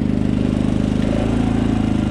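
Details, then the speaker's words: Predator 3500 generator running under a heater load at about 4,500–5,000 ft elevation, after a valve adjustment, straightened pushrods and a carburetor jet swap to a smaller size: steady, even putter with no misses or hunting. "with this heater and now it runs nice and even"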